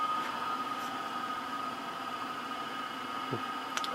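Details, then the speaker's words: Tektronix 2465B oscilloscope, bought as "for parts only," powered up: soft, steady airflow hiss and faint constant hum from its cooling fan, no rattle, scrape or wobble; fan running well. "so on the fan is running excellent I can feel airf flow"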